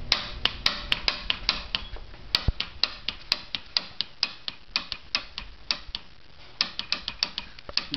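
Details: 150cc scooter, spark confirmed; started for one second, clanked and shut off, now on start attempt sharp irregular ticks about three to four a second with no firing; wheel appears jammed, cause unclear.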